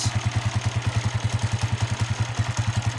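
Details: Honda TMX 155 motorcycle that had spark but would not start (ignition coil blamed despite new CDI and spark plug): even, steady thumping about three and a half beats per second, no misses or stumbles; idling healthy.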